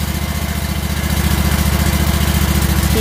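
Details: Small engine just after oil change and service reset, fired up at low idle to recirculate oil: steady even low thumping about 3.5 beats a second, no misses or knocks; normal idle.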